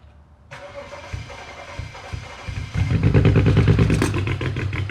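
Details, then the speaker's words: Petrol engine cranks briefly, then runs a lumpy, stumbling idle with unsteady rpm and the check-engine light on. OBD2 codes show misfires on cylinders 1, 3 and 5. "ومن بعد ما شيكنا عليه عن طريق الكمبيوتر ظهرت لنا الأكواد وتفسيره بأن في مسفاير في سنتر رقم 1 و3 و5، وهذا شيء أكيد منطقي بحكم أن المحرك فيه تغطية قوي وعدد دورات المحرك غير ثابتة."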